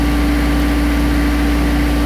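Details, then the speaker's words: Diesel mower that shut off when the PTO was engaged, running after a time-delay relay was fitted, glow plugs warmed first: deep, constant drone with no misses or knocks; smooth healthy idle where it used to die. "that's a good sign it used to die before here we go oh yeah there it is it's working nice nice"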